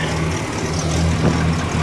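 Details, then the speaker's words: 1965 Cadillac V8 idling after the fuel pump (2 bolts and a gasket at the front of the engine) was redone over a fuel leak, checked from underneath: steady, even low rumble with no misses, ticks or knocks; healthy, no leaks. "Super easy to get to, and as you can hear in the background, she sounds pretty damn happy."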